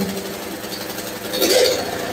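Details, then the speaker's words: Electric-start snowblower with fresh gas, fuel on, started in late September: small single-cylinder engine catches quickly and runs at a fast, steady patter with no misses; normal running after cold start. "I'm going to let this run a little bit and then we're all set to go for the season yay oh"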